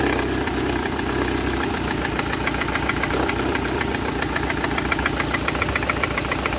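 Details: Citroën C4 1.6i idle: lumpy and uneven, a stumble breaking the rhythm every few beats; a failed ignition coil leaves it running on only three cylinders, code P1339; fix is replacing the coil.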